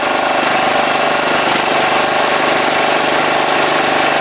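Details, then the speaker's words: 2012 Piaggio Typhoon 125cc scooter after carburetor float adjustment, air filter off: runs steady and even with a raspy intake note, no misfire or stumble; possible rich running still to be checked at the plug; normal running. "Back in business, I hope. Yesterday's adjusting and trying, you know. Boy, it sounds different with that air breather off."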